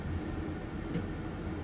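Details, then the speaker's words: RV propane furnace blower just kicked on before ignition, on a cold day with outside temperature in the 20s and inside about 35: a steady low whooshing rumble with no rattles or scraping. The blower runs smoothly. "okay now i heard the fan kick on and i know you can't see it but it's too dark but there's a down by my foot there is the fan"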